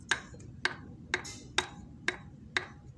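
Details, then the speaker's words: 2014 Honda Beat FI scooter, engine torn down after smoking and rough sound; connecting rod rocked and tapped with a finger gives sharp metallic clicks about twice a second, showing excessive big-end play; worn rod, to be replaced. "waduh stangnya juga kena teman-teman Nah teman-teman bisa denger itu cuman dipukul diketuk sama jari telunjuk"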